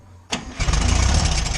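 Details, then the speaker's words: Air-cooled VW Beetle (Fusca) idling, revs kept low, during alternator bearing work: fast tinny rattle on each pulse. The alternator turns quietly, so the noise is traced to a loose object inside the pulley's cooling shroud tin. "Aí ele, pera aí. É a polia, meu povo. Olha lá. É só essa lata aqui atrás."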